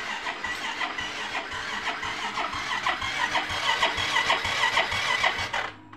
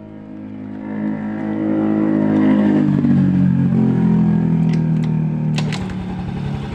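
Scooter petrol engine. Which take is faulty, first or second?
first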